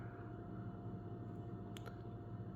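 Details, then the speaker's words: 2019 Hyundai Elantra petrol engine idling with low, slightly uneven hum, faint whine and light clicks; misfire codes P0302/P0304 with no check engine light, vibration on road test, burn marks on ignition wires; coil and plug swap planned to diagnose. "It's engine is misfiring but there's no check engine light is on. I did the road test. I found the vibration on the engine and has some weird noise on it."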